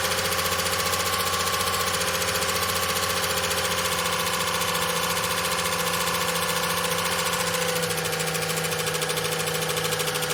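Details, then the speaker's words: Long-stored VJ Dodge ute engine just after first start, no transmission fitted: steady idle with busy metallic rattle and ringing tone from the rear, quietening as it runs; owner suspects clutch throwout bearing on pressure plate, unconfirmed. "Had a nasty rattle in it when it first fired up now. It's sort of quietening down a bit."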